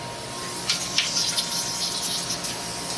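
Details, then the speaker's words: Boiler heating loop refilled after a full drain due to a failing Taco circulator pump, pumps just switched on: loud continuous hiss with uneven spitting surges as trapped air bleeds from the air separator; air purging. "we got 13 an we're looking good and with you can hear all that air coming out of that air the damn air"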